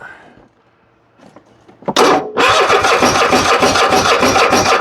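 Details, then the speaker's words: Husqvarna riding mower, Kohler 7000 series engine, starter and carburetor already replaced: quiet starter whirr, then strong steady cranking about two hundred beats a minute that never fires; runs on spray, cause a fuel flow blockage at the tank. "She still ain't fired. What in the, I don't understand."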